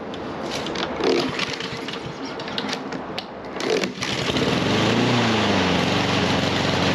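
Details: Husqvarna HU700F mower that runs a while then dies, after parts greased and a slightly stuck pin freed; catches then runs unevenly, pitch wavering and hunting as if choked and rich; rough running, cause unconfirmed.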